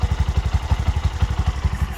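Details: Bajaj BS6 motorcycle, low mileage, after repair of a crankshaft bearing noise (two crank bearings pressed in, rod and bore reused): steady low thump about seven beats a second, even, no knocking or bottom-end rumble; healthy idle.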